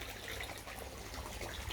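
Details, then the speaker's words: DIY pond shower filter outlet with the rubber boot removed so the outlet sits above the water, which stopped the gurgling: smooth, even trickle with steady splash, no gurgling or glugging, healthy free-flowing outlet. "i've taken the rubber boot off so now the outlet is above the water and not under the water and that's stopped the gurgling i much prefer that noise"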